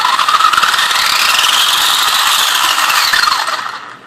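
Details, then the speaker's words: Traxxas Stampede RC truck with stock sensorless brushless motor, a smooth whine climbing quickly and holding high before spinning down, no grinding or cogging; very fast at speed though it severely cogs at low throttle, as the ESC cannot sense rotor position. "Now the good thing about a sensorless brushless motor like this is it's very, very fast."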